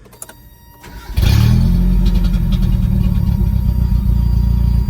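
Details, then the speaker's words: 1990 Mitsubishi Mighty Max four-cylinder after a Seafoam treatment and new spark plugs, previously skipping: brief crank, then it catches and idles evenly on all four; the cause was a bad plug, not the suspected burnt valve. "Well, like it's running on all four. I'll be damned."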